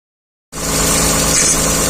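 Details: 2010 Dodge Journey after replacing the right front intermediate CV shaft assembly: engine catches and settles into a steady, even idle with a smooth hiss, no knocks, ticks or grinding; healthy.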